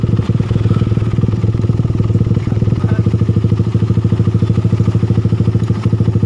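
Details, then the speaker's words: Suzuki Satria FU motorcycle engine at idle after repair: steady, even, smooth pulse with no ticking or tapping from the cylinder head; the rough clatter was a failed cam chain tensioner, replaced with a bolt-in type. "ini suaranya sudah halus sudah tidak berbunyi"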